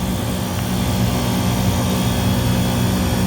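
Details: Walk-in freezer refrigeration rack just restarted after the compressor was steaming; condenser is wet and head pressure dropping, with condenser fans on fan cycle controls. Steady low hum near 200 Hz with even fan rush, no knocks or rattles; running normally.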